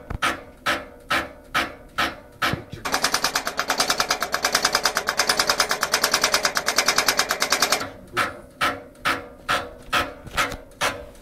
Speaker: why this happens this happens because of only one reason a flow goes on a wrong direction